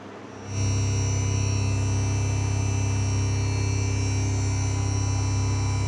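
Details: 5.1 amplifier in Bluetooth mode: a steady low electrical mains hum comes on suddenly and holds an even pitch with buzzy overtones; cause unknown.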